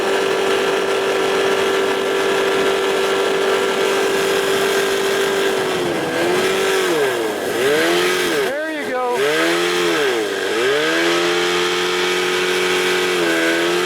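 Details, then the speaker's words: 1989 Evinrude 25 hp long-shaft remote outboard at mid-speed cruise, not top speed, new fuel pump (diaphragm), primer bulb firm; steady note that sags and recovers several times; owner thinks it sounded fuel related; loss of power and surging at cruise. "My primer bulb is firm. New fuel pump. I mean, that sounded fuel related that time. Freaking thing. I wasn't even going top speed. Just cruising along mid speed."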